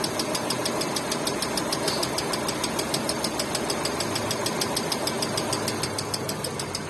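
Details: Hyundai Getz engine: sharp, ringing metallic ticking about six to seven per second steadily over the idle; ringing engine knock, source not identified.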